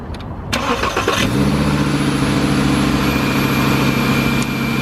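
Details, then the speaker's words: Volkswagen Jetta, true cold start after sitting 2 days, oil just topped up with Castrol: brief cranking, catches within a second and settles into a steady, even idle; sounds great, normal cold start. "Oh yeah, sounds great. The true cold start. It hasn't been started for 2 days now."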